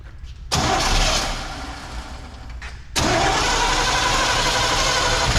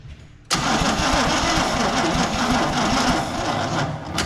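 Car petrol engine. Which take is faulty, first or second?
second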